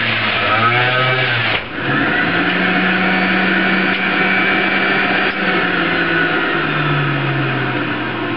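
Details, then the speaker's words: Breville iKon centrifugal juicer at speed 3 juicing apples: high motor whine dips briefly as fruit is fed, then recovers and holds speed without bogging; normal juicer operation. "You can hear it spin up at this point in time. I'm increasing to 2. I've increased it to 3. Now we're in apple range here."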